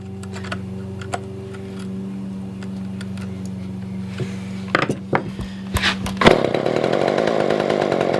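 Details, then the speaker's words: Older Poulan 2000 chainsaw after a no-start, fixed by carb clean, adding fuel and shortening a tangled fuel line: steady, even two-stroke idle drone, then throttle blips opening to a strong full rev; running properly. "man so you guys can still hear it running in the background i'm gonna let it sit out there for probably about 10-15 minutes just kind of idling"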